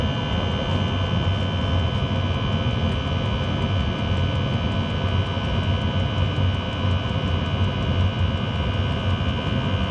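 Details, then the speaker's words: Chinese diesel heater in a Talbot Express motorhome after a failed quietening attempt: continuous deep jet-like roar with a steady high whine; owner suspects the motor bearing. "well the actual nose is coming from the exhaust not from heater"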